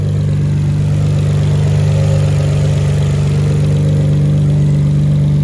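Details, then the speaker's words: Nissan Skyline R32 GTR after fitting R35 coil packs to cure a misfire idles deep and steady with an even, slightly lumpy note from the cams, with no stumbles or misses. "i don't hear this firing at all which is good you can hear i mean it's cam so if you hear it kind of sounding a little interesting that's because it's cams"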